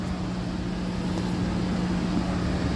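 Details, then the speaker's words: Geothermal heat pump after blower motor replacement, blower ramped to high speed: steady even whoosh with constant hum, no clatter or rubbing; spinning smoothly as it should. "but I got no clattering and nothing she's spinning she's spinning like she should get ramped up like it should"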